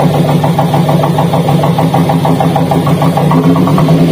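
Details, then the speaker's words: Daihatsu Gran Max at idle with coil connectors pulled one at a time: lumpy, uneven idle with a stumbling low thump about three times a second. Pulling coil 3 made the vibration and limping exhaust worse, pointing to a dead coil. "namun ketika kami tadi Cabut ya untuk posisi soket koil nomor tiga untuk pasiennya itu jadi tambah parah untuk getarannya kemudian suara di kenalpotnya juga Terdengar sangat jelas ya tambah pincang"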